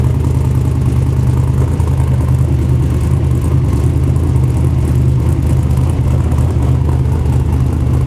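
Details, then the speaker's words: LS V8 in a rock buggy build, with tune loaded, oil pressure gauge still reading low; deep, steady rumble with even low pulse, no knocks or misses, idling better than before. "Ran okay, idled okay. It's idling better than it was before."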